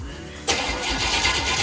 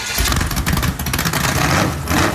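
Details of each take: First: Chevy 350 small-block, bound for an S10, first start after sitting for years: starter spins the engine with a sudden loud churning but no cylinders catch; cranks without firing, later started after adding gas and spark. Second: Chevy 350 small-block V8, pulled from a Camaro, on its first start after sitting for years, given gas and spark: a loud lumpy rumble with open-header bark settling to an even firing beat. Runs as healthy as remembered.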